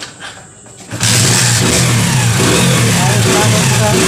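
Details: Hero Passion Xpro i3s single-cylinder after the timing chain was tightened for a sound problem: quiet start, then a steady even note with a light revving lift and no top-end rattle.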